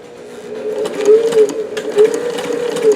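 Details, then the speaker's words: Davis vertical feed long-needle sewing machine running with a shorter 15x1 needle fitted, held by a blank from another needle's shaft; steady mid-pitched hum with light regular needle ticks, no knocking or catching, sewing perfectly. "here we have the machine working and you can see I've got that blank in there there that is a 15 by one needle"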